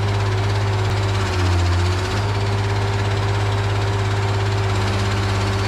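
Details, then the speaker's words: Case 170B excavator diesel after hydraulic line, filter and oil work, started on a good borrowed battery after the original load-tested abysmal: turns over and runs with a steady low drone and constant hum, no knocking; normal start and idle. "I took a good battery, actually the one out of the 1010, and put it in there. So now I think it's gonna crank."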